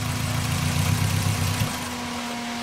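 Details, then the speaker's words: VW Cabrio with shaky idle and clacking, head gasket suspected: rough rumbling idle falls away abruptly as throttle is touched and the engine dies instead of picking up; owner suspects a throttle rather than clutch problem. "So perhaps it's not actually a clutch problem, but it's a throttle problem. Because when I go to give it gas, let's see if it'll do it."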